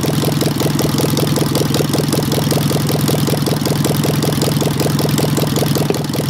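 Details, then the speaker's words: Engine with Solex 30 PICT carburettor, after fixing a stuck pump ball valve and flooding from a wrong service-kit needle valve (original Solex needle valve refitted): steady idle with an uneven beat, two to three stumbles a second, still misfiring; popping somewhere, possibly a valve problem; possible knock unconfirmed. "yeah she's popping somewhere but i'd say some of it could be valve problem"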